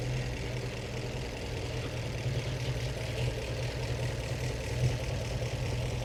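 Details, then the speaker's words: 1915 Scripps-Booth Vitesse overhead-valve V8, about 100 miles on the rebuilt engine, after setting the Zenith carb idle mixture by CO meter: a low, slow, loping idle with soft external-pushrod clatter and no misses or knocks; normal, smooth idle. "here the nice lower idle speed now it is a lot lower yep it is a lot low that that's a really nice idle for this old of a race car and if I give it a little gas sounds great it's just more refined now it is it's very smooth"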